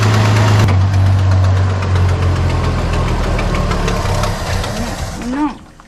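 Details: 1973 Dodge Dart Swinger, 225 slant six, first start after 29 years in a barn: steady, even low rumble at idle, about four beats a second, no misses or stumbles; running smoothly on fuel fed to the carburetor.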